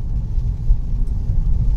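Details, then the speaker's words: Mercedes C250 W204 four-cylinder after engine mount replacement, pulling away from a stop under light load. Only a soft, steady low rumble, with no knocks and no high-pressure fuel pump rotation noise heard in the cabin; normal quiet running after the repair. "wow oh my gosh I don't hear the rotation of the high pressure fuel pump nice and quiet nothing like it was before"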